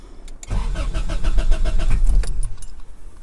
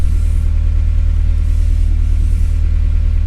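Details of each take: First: 1998-2002 Honda Accord, manual, before repair: starter spins engine evenly about two seconds but never catches; cranks but won't start, traced to failed fuel pump relay. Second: 1998-2002 Honda Accord after replacing failed fuel pump relay that caused crank-no-start: smooth even low idle rumble with steady beat, no stumbles or knocks; normal idle.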